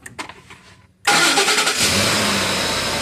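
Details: 2010 Ford F-150 with an intermittent no-start (cranks, then shuts itself off) and code P060A: with the PCM supply fuse seated, it is quiet, then fires at once, revs up and settles to an even idle. A normal crank and start.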